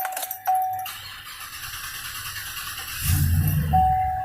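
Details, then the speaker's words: 2015 Chevy Silverado 2500 that cranks but won't start, no fuel pressure at test port; cranked with fluid sprayed into the air duct, catches briefly then dies at once; spark present, fuel starved, fuel pump suspected. "prendió y se apagó y entonces sí voy a a checar qué está pasando con la verdad porque es que no tengo gas"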